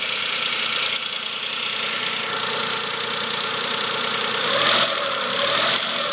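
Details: 2005 Chevrolet Spark 0.8 (Matiz engine), cold idle in heavy rain: faint, uneven light ticking; owner suspects valve clearance (valves not yet adjusted) or camshaft; timing belt and rollers replaced 5,000 km ago.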